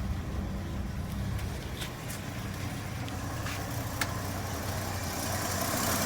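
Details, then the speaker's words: Chevy 230 inline-six after timing and carburetor adjustment, vacuum line reconnected, timing about 7 degrees BTDC: starts right up into a steady, even low rumble with no misses or knocks; normal idle. "Let's see if it starts up. Starts right up."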